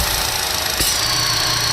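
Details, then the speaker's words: 2012 Chevy Cruze 1.4 L, failed PCV valve in the valve cover, engine warming up: steady airy hiss with a faint high whistle over a low idle hum from vacuum being pulled, causing surging idle and hesitation on acceleration. "you hear that that's from the sucking of that it's creating a vacuum inside of here and that should not be occurring"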